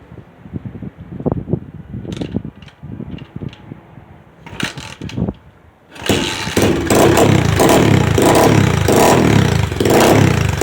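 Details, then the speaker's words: Customer's second SSR pit bike after carburetor rebuild, which previously would only start with starter fluid: handling clatter, then it fires at six seconds without starter fluid and revs up and down crisply without stumbling. Normal start and revving. "she took a little second but she's up and running no starter fluid need it iding pretty nice and good"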